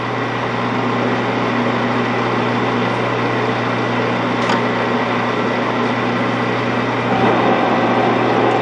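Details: 16-inch Axelson lathe that sat out in the weather, running: steady low drone with light gear whir, no knocking or grinding. Motor and gearbox sound healthy, though the spindle brake is not engaging, which oil is suspected to cause.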